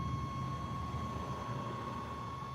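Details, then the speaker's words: Newly installed power inverter in a moving vehicle: steady piercing high-pitched whine over road rumble, which the owner suspects is from the load of streaming and keeping devices charged. "and that new power inverter is so noisy can you hear that high-pitched wine"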